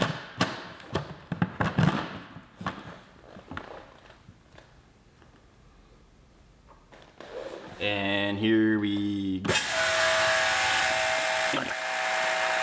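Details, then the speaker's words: Dewalt 2400 psi electric pressure washer, tested with the 40-degree nozzle: on trigger release a brief, wavering high squeak as pressure drops, then steady pump hum; possibly caused by back pressure in the system. "there is a little bit of a squeak to the machine once you turn it once you stop the pressure um it's probably just because all the back pressure that it's going through the system"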